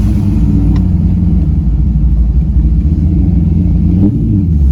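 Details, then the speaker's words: C5 Corvette 5.7L V8 on a hot day after serpentine and AC belt replacement, light load in second gear: deep lumpy rumble, no knocks or squeals; engine healthy, good oil pressure. "You can hear how smooth the cam is with just nice little clutch in, second gear, boom."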